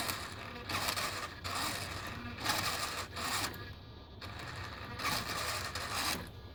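Sharp bursts of clicking chatter repeat about once a second with quiet gaps between them: the servo is clicking as it moves.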